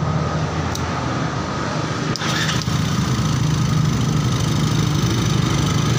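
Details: Yamaha Xeon GT 125 injection scooter that died suddenly while riding, flashing 39 MIL blinks; piston rings fine, fault electrical (miswired yellow cable); after fix, started and settling into steady low idle putter after a couple of clicks; normal idle.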